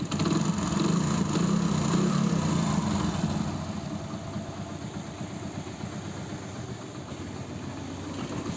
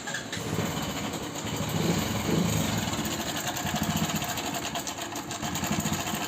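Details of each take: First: Hero Passion Pro single-cylinder motorcycle, after repair of customer's excessive engine noise complaint: idles evenly at about 220 beats a minute, now much quieter with no knocking or chain rattle; healthy idle. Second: Hero Passion Pro motorcycle with customer complaint of excessive engine noise, started on self-starter: light, uneven clatter through the idle, louder on small throttle blips; timing chain rattle, chain to be checked.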